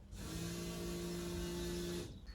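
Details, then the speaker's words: 1983 BMW 7-Series E23, not run for 2 years, ignition on: fuel pump hums steadily for about two seconds then cuts off after its relay is bypassed; it had not run with the relay fitted. "we remove the relay and made a pass through and as soon as you pass through the relay you can hear the fuel pump"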